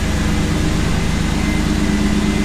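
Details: 1991 Pontiac Firebird Trans Am after water pump and defective battery replacement: steady, even low idle rumble with no knocks, misses or whine; healthy idle, battery holding charge.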